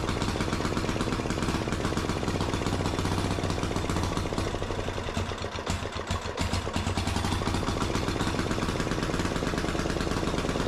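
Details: Gravely C10A walk-behind tractor repowered with a 418cc 186F air-cooled single-cylinder diesel (Yanmar L100 clone); clatters at a steady, even beat with no misses or stumbles; normal running.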